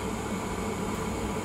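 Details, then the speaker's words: Old Glow Worm Micron 50FF boiler fan after repair: steady, even whooshing hum with no squeal; it previously whirred and started intermittently from a stiff motor shaft, fixed with WD40. "all right it sounds a lot better doesn't have that like pitch kind of squeal going on there we go sounds good yep really really nice no waiting at all"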